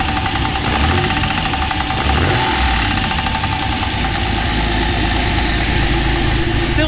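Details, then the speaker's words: Steady idle with light, quick top-end tapping at engine speed on a TVR Tuscan Speed Six after throttle body balancing; seems to come from the middle of the engine, suspected to need head off, not confirmed. "sounds top end. That probably means head off."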